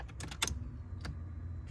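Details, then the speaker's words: Car fuel pump wired to a FuelTech ECU negative-pulse output with original timed function: sharp relay click, short low pump hum, second click as it cuts off; normal fuel pump relay click and prime. "tá padrão original você escuta até o relé clicar vou desligar e vou ligar"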